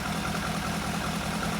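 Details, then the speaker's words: Barn-find Lotus Elan Sprint big-valve twin cam, off the road since the early 1990s, dust-covered, just restarted with ignition previously redone: smooth, even idle with steady low pulse, no knocks or misses. Normal idle. "Absolutely covered in dust. swallow poo and swallows eggs, but it's still idling."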